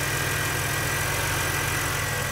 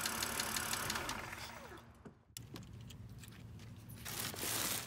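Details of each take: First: 2006 BMW 330i (E90, N52) after adding Lucas heavy-duty oil stabilizer: smooth, steady idle with an even low hum and no ticking from the valvetrain; the earlier lifter tick is gone. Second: 2006 BMW 330i (E90) N52 petrol engine running: quick, light ticking from a noisy hydraulic lifter; later quieted by adding Lucas heavy-duty oil stabilizer.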